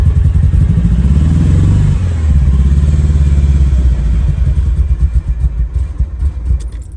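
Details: Abandoned Ferrari 308 unused for 15 years, new ECU fitted, wiring and fuel issue fixed, tested on old boards before new ones: cranks, catches into lumpy uneven low rumble, then stumbles and fades with loose clatter; hard starting, cause unconfirmed.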